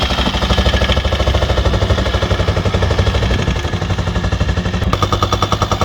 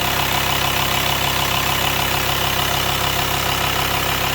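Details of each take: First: VW T5 4WD van, 2.5 BNZ diesel, bought not starting: heavy hammering clatter about 2.5 beats a second over rough idle, no power, couldn't climb a hill; owner suspects worn camshaft and hydraulic tappets, a common problem on this engine. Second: VW T5 long-wheelbase van, 2.5 BNZ diesel, first start after camshaft and hydraulic tappet replacement with new filters and oil: even, steady idle, much quieter, no tapping or clatter; normal idle after repair.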